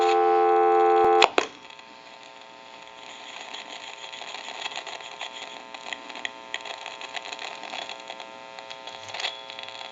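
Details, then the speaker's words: Western Electric 302 rotary desk telephone, F1 transmitter: dial tone cut off at hook switch, leaving crackling static, sizzling and sharp pops, intermittent, plus slight amplification hum; transmitter too noisy. "of course the hum that you hear you may hear a little bit of a hum that's just from the amplification but you can actually hear the transmitter it's very noisy and it will come and go but it's just a little too much noise"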